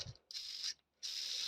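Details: BMW E36 accessory belt, old idler pulley bearing spun by hand off the car: two short, dry, hissing whirs, rough rather than smooth; worn bearing, though not the source of the belt-area clack.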